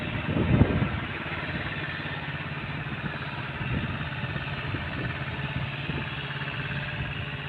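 The single cylinder settles into a steady, even putter after a brief rev, with light street noise behind it, so it idles normally.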